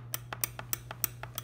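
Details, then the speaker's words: Cosco Easy Elite All-in-1 convertible car seat: sharp metallic clicks, about six a second, from headrest adjustment bars rattling when headrest slightly raised, worse on bumpy roads; fixed with tape. "up top we have the headrest adjustments we noticed it when the headrest was raised up a little bit that we did start getting a annoying clicking noise as you can hear"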